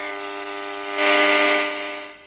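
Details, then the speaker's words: Black Unitra Eltra Alicja R-701 radio on long wave, meant to receive Warszawa I, gives only a steady buzzy mains hum with no station. Its potentiometers need cleaning, and the FM band later works. "niestety nic poza buczeniem nie jesteśmy w stanie usłyszeć"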